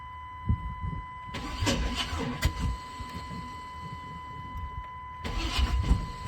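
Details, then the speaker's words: 1996 Chevrolet K1500 5.7 L with redone head gaskets, aftermarket headers and a spider injection conversion kit: two cranking bursts with sharp pops, backfiring through the upper plenum, never starting despite compression, fuel and spark. Owner suspects a bent valve. "She wants to start, but she's got compression, she's got fuel, she's got spark. See, she wants to start."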